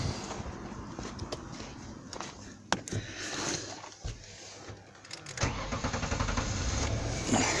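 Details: 2000–2001 Ford Taurus 3.0L stalling at stop lights: starter whirrs, engine catches and settles into uneven idle after stalling from wiggling the crankshaft position sensor wire; short in crank sensor connector.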